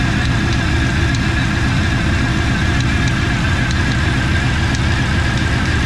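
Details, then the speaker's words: TVR Cerbera V8 with rough running, coils and plugs not yet replaced, seeming slightly better: steady idle with faint irregular light ticking; rattle at front of engine, air conditioning compressor seen moving slightly, suspected source, unconfirmed. "as you can hear there's um something rattling up the front looks like the airon compressor is moving a little bit"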